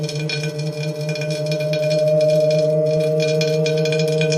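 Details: Tacx Neo trainer without cassette: steady hum from the spinning flywheel with a scratchy rasp about four times a second; grinding on the disc, source inside the trainer.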